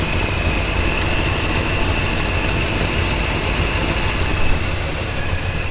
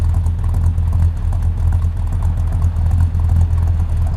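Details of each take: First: Route 66 Buick V engine idling after coolant refill, thermostat not yet open at about 160°; rapid puffing tick in time with firing from an exhaust leak, owner suspects down pipe gasket or manifold gasket. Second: Route 66 Buick V8 with a small cam, idling after a coolant refill with an exhaust leak present, AC on: compressor load drops idle about another 200 RPM, giving a deep, uneven, loping idle that pulses and stumbles.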